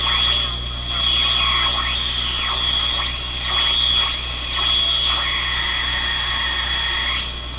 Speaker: let's check it out it's working pretty good already